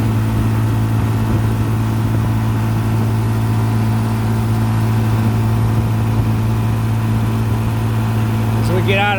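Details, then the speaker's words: 1955 Johnson QD 16 10 hp outboard, after new condensers, carburetor kit, water pump and seals, pushing a 14 ft Blue Finn deep V at 13–14 mph: strong, steady low drone at even speed under load, no misses or knocks; revs pick up out of the wind. Healthy. "out of the wind, I can hear the RPMs pick up a little bit."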